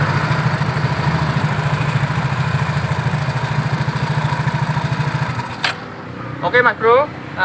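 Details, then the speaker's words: Yamaha Mio GT scooter after CVT repair (previously harsh noise and wouldn't move with engine running; damaged parts fixed, substitute ring fitted): even steady idle, no belt-drive rattle or scraping before shutoff; CVT now engages properly, normal operation. "sudah bisa berputar dengan sempurnakan sudah bisa menggigit dengan sempurna ya karena memang yang rusak-rusak tadi sudah kita benarkan ya"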